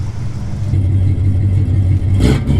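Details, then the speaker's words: Vehicle with stiff, partly seized front brakes and a fluid leak, started after pumping the brakes: deep, even roar at higher revs with no knocking or misfire, a brief clatter near the end; engine healthy. "Ah, the sweet sound of freedom. At least get it to where I can move it under its own power without contracting in an EP."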